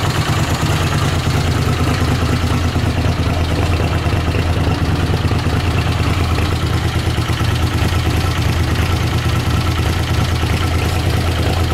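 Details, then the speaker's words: Honda CX500 twin, 30,000 miles, warm idle on fresh gas: steady, deep, even idle with no stumbling or cutouts; it previously cut out when given gas, now running much better, normal warm idle. "yeah it was cutting out whenever I give it gas it would cut out so yeah it's running a lot better not doing that cutting out thing or anything big difference"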